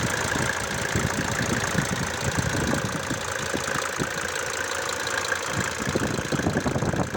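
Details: Mercedes-Benz W124 with OM602 turbo diesel at idle: sharp, regular knock ticking through the diesel clatter; cause not pinned down.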